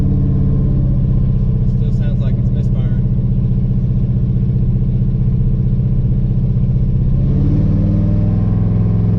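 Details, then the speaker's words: Chevy S10 with a 5.3 V8, misfiring since LS Fest, driven after new plug wires, some new plugs and cleaned ground cables; loud drone with an uneven lumpy pulse, stumbling with no throttle response. The misfire is still unfixed and its cause unknown: engine misfire. "i don't think i fixed it yet [Music] it's just hard to tell that it's missing at an idol from the cam definitely not it's definitely not fixed so we still got some more work to do"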